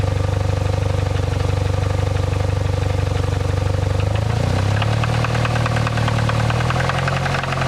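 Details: 2007 Saab 9-3 petrol engine at idle: a steady low drone with a faint, even tapping through it; engine knock or timing noise suspected, cause not confirmed.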